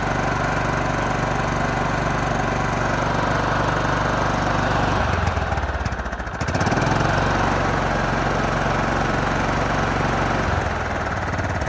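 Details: John Deere LT155 riding mower single-cylinder, previously no crank and stalling after 5 seconds, now running with choke: steady, even drone with one brief rev dip midway, no knocking or misfire; running healthy.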